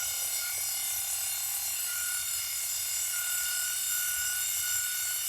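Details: Mains-powered nail file with LM317 speed control, during repair checks: steady high-pitched whine holding even with no wavering or rattle; small motor runs smoothly at speed, normal motor running.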